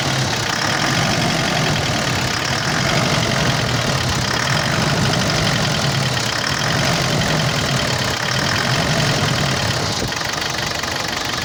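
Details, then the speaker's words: Mitsubishi L200 Triton common-rail diesel at idle: hard, fast knock over the engine, like an injector fault, but rail pressure reads about 116–117 MPa at idle, far too high; injection module fault. "ele tá com castanhado muito forte no motor dando a impressão que pode ser bico injetor a e tá trabalhando com uma pressão de combustível na marcha lenta muito alta"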